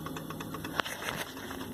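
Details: Hotpoint FSFL58G fridge freezer: quick light ticking repeats steadily over low compressor hum while the compressor runs; cause unknown.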